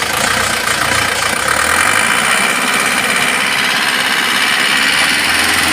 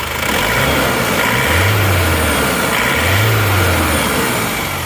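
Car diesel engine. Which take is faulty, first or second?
first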